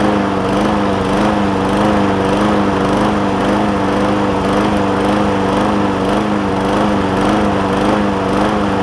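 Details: John Deere JA60 push mower with a replacement tank, new fuel line and cleaned carb, at raised throttle: speed rises and falls about twice a second without settling, still surging after an air filter is fitted. Lean mixture; debris is suspected in a jet.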